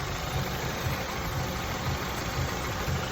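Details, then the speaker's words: Honda idling after throttle body cleaning to cure rough idle and lagging acceleration: low, even idle, soft pulse about twice a second, no stumbles; running much better though still in limp mode. "yeah she's pretty good now you guys she's running great I'm going to do a lap around the corner here she is still in limp mode running a lot a lot better though"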